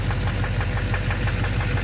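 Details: 2009 Chevrolet Duramax LMM dually diesel idling, inspected underneath at the bellhousing: steady rapid low knock evenly spaced with engine speed; an overly long bolt found just touching the flexplate, identified as the knock source.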